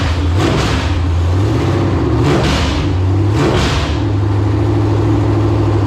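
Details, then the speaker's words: LQ4 6.0 V8 (circa 1999–2000, iron heads) from truck shot through front, test-run with some exhaust fitted: three clean throttle blips then smooth steady idle, no knocking or clatter; normal running. "man sounds good all right I just slipped some exhaust on here so I can kind of hear the engine a little better"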